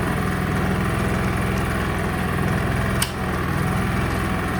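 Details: Honda EU30is 3 kW inverter generator running on half setting: steady, even hum with a low constant beat, no misses or hunting; carrying load smoothly and healthily.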